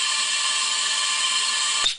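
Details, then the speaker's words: VW 1600 air-cooled engine leak-down test with compressed air through spark plug hole: steady hiss for about two seconds, then cut off; air escaping past a likely burnt exhaust valve, possibly rust holding it open (owner doubts). "so we'll hook this up here and we already know what's gonna happen got a bad exhaust valve coming right out"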